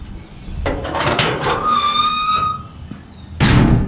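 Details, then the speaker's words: 1964 Chevrolet Corvair Corvan, very straight solid van: door closes with one firm clean thud, no rattles afterward, indicating a tight body. "Hear how that door shuts? No rattles."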